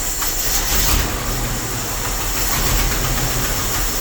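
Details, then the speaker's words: Old Dodge W300 Club Cab, previously missing on 2 or 3 cylinders and smoking heavily, only slightly warmed up: lumpy, uneven idle with irregular stumbles, missing badly and shaking the whole truck; multiple cylinders misfiring, cause not yet found. "Still missing. Yes, sir, she's still missing. Well, it's warmed up a little bit, not much. It's just as bad as it was."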